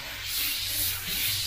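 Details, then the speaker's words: Airbrush at around 25 PSI with paint thinned down: steady, even airy hiss with no sputter or grit; thinned paint spraying cleanly, unlike the gritty, grainy sound of paint that is too thick. "just knock your paint back thin it down and then you get that nice and you can hear by the brush that's just flowing really really nice"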